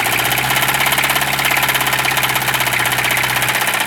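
Loud, heavy knock repeating steadily at idle, hammering through the diesel clatter; sounds like a badly worn bottom end. Cause suspected, not confirmed.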